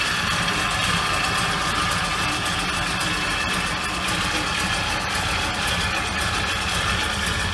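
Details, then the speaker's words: 1975 Ford Ranchero after starter relay and starter motor replaced: steady even idle, smooth low rumble, no knocks, misses or squeals; runs nicely though idle should be a little higher. "running nicely the truck's still on [Music] it should be a little bit higher everything's running nicely"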